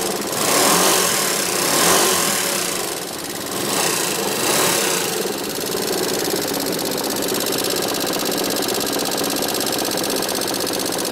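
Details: Yamaha XMAX scooter engine described as "sick": brief rev, then a rattly ticking idle with a loose, uneven clatter; unhealthy, cause unknown.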